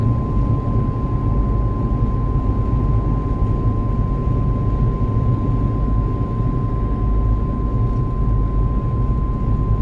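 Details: At about 70 km/h: a loud steady high-pitched whine near 1 kHz over low road rumble; the dealer could not hear it; source not identified; whine while driving.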